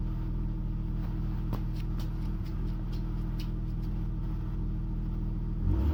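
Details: BMW E39 520i six with original ignition coils at 179k km: low steady idle with a periodic stumble and small ticks, then a rev; misfire from failing coils.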